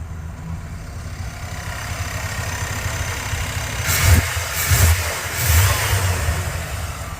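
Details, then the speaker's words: 1994 Chevy K1500 with a swapped 5.7 V8 (from 4.3), same computer: smooth idle with three quick clean throttle blips, revs rising and falling evenly with no knock or miss. Runs great, good oil pressure. "Everything, it just fires up, runs great, gains so much torque."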